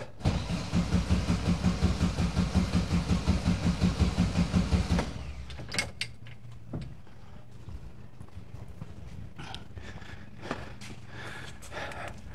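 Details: 1971 VW bus sat two years, electronic ignition; after a starter replacement, strong even cranking at about three compression beats a second for five seconds, engine doesn't fire yet, fuel delivery still uncertain.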